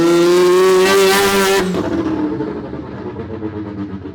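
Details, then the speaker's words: Semi-peripheral-port two-rotor rotary Corvette on a Haltech ECU, revving before base-map tuning. Clean rising wail that holds steady, then drops sharply off throttle with no stumble. Normal revving, much more predictable. "She sounds so much better, so much more predictable. Everything's looking good."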